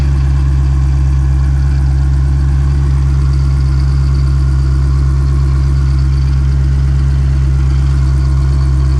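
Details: 2020 Shelby GT500 Mustang V8 with a newly installed Whipple 3.8 supercharger, idling on its post-install run while warming toward operating temperature: deep, even idle with a steady low throb and no knocks or whine. Normal, healthy idle.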